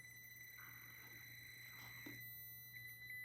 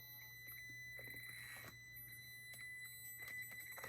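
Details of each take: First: Traxxas TRX-4M Bronco RC crawler, first run: thin, steady high whine over a quiet crawl at low throttle, the ESC's pulse-width modulation; normal ESC PWM whine, motor seems short on torque. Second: Traxxas TRX-4M Bronco RC crawler, crawling slowly: thin steady high whine near two kilohertz over quiet motor noise; low PWM frequency whine from the ESC.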